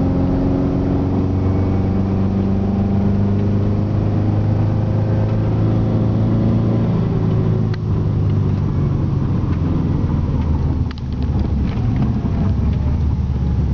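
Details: Subaru EJ20G turbo at wide open throttle: loud, rough chuffing drone, barely climbing, no power; a hole in a piston gave zero compression and an extreme exhaust leak; engine replaced.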